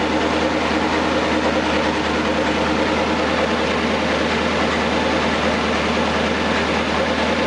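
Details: Newly rebuilt 239 Flathead Ford V8, run-tested on an engine stand: steady, even low rumble, no knocks, ticks or misses, no leaks found; normal idle.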